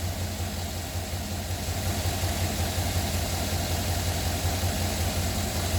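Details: Silverado 2009 at cold start and cold idle: a steady low rumble with a faint repeating tap about two to three per second, pointing to an engine knock.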